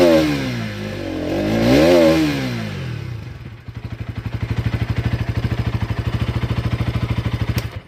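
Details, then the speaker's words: Bajaj Pulsar NS200 BS6 that had a starting problem, after the fuel pump began running: it starts on the first self-start press and settles into an even idle thump with no misses. Normal start and idle. "देखिए गाड़ी हमारा एक self में start हो गया दोस्तों। Starting में किसी प्रकार का कोई दिक्कत नहीं है।"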